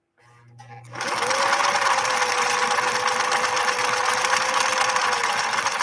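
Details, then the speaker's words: 1968 Singer Model 626 Touch & Sew sewing a decorative stitch. Quick, even whirring and a steady needle beat with a little clicking from the cam stack preparing the stitch: normal running. "you hear that little clicking that is the cam stack getting ready to execute this Stitch"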